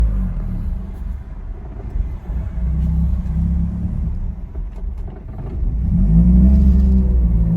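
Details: 2002 Ford Focus SVT at rough idle: a low, uneven rumble with a loping beat about three per second and dips in level. After 15 minutes warm it dies unless the gas is pressed, despite replaced fuel pump, injectors, plugs, wires, MAF, PCV, IACV and O2 sensors.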